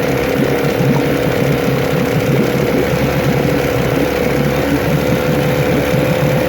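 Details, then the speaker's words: 9.9 HP Johnson outboard being revisited after an earlier failure, refitted with a new water pump and carb kit, in a test tank. A low, steady putter around 800 rpm with no misses or rattles; it dips a little below 800 and dies. Owner expects 900–1,000 rpm and judges it fine: normal slow idle. "It sounds like we're less than 1,000 RPM there. 800 or so, I guess. Looks a little less than 800 it dies, which is fine. I think they're supposed to idle at like 9 or 1,000, so I'd say we're good."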